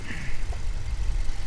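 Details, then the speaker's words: 2018 Dodge Challenger R/T Shaker 5.7 HEMI V8 petrol/LPG, bonnet open at idle: deep even burble with normal fuel injector tapping, no knocks or misfires; healthy. "engine's clicking away all nicely I can hear the I can hear the fuel injectors tapping away as they should do nice and healthy"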